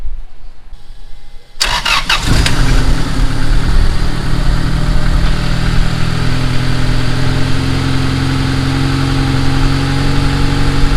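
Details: Turbo Honda Accord after reconnecting a line that had caused excess pressure, rich idle and poor idling: fires after brief crank into a fast, busy idle that stays up; idle set too high, later lowered.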